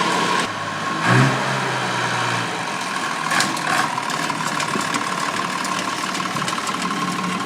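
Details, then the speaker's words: Ferguson vintage tractor diesel engine cranks, catches and settles into a lumpy, uneven beat with one cylinder missing; suspected faulty number one injector, engine also showing wear with blow-by out the dipstick. "Something wrong with the engine. Not sure, but I I I would try number one injector. There's something wrong with number one injector."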